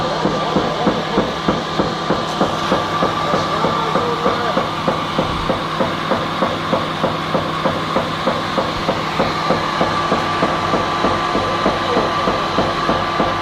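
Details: Sharp, steady knock about three times a second over the drive hum, apparently once per turn of the unloading auger. The engine is also wobbling about 5–7 mm. The knock is suspected to be in the auger drive, not confirmed.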